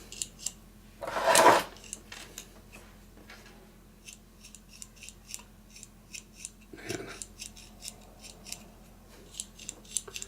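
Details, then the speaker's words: Lafayette/Univox U65RN solid-state guitar amp: faint dry scratching and tiny clicks over a quiet hum as a control is turned, a grittiness that grows louder while loosening up; scratchy, dirty potentiometer. "I don't know if you can hear that. It's like a grittiness. It's definitely loosening up, but man,"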